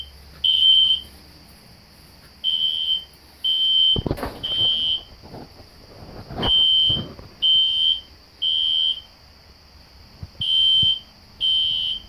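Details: System Sensor SpectrAlert Classic horn strobe set on low volume, heard in background with doors shutting: high piercing horn in groups of three half-second blasts with pauses; sounding normally.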